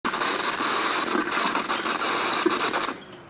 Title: Computer Freezes with loud buzzing sound - FIX